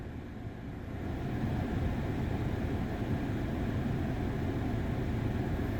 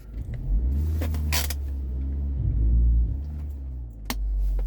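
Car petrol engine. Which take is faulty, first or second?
second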